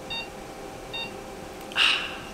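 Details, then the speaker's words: Operating-room anesthesia monitor: two clean high-pitched pulse oximeter beeps about 0.85 seconds apart, roughly seventy a minute, steady tone. Normal pulse oximeter beep. "we can get it from our pulse oximeter which is the instrument that gives us the oxygen saturation level and also gives us a pulse. that's the one that made that"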